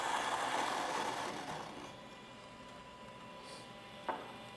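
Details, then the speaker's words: xBloom coffee machine grinding beans. A rough, steady grinding rasp thins out and quietens as the beans run through, then a small tick. The grinder keeps running until a load sensor detects that grinding has stopped; this is normal. "so you're going to hear it right now uh over grinding and that is because um it it isn't something you set in the app how many grams you're putting in"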